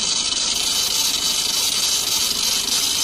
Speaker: जहां कई बार क्या होता है की हमारे बेल्ट लूज हो जाति है तो स्लीप करना शुरू करती है इसके करण मुझे आवाज आई है किच-किच की आवाज आई है